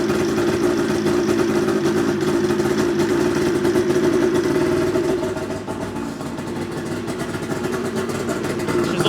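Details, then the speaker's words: 2009 Ski-Doo GTX 600 E-TEC snowmobile, 50th anniversary edition, first start; harsh, loud raspy two-stroke bark easing slightly midway, because a part is not fitted on all the way; exhaust leak. "little loud because I don't have this on all the way"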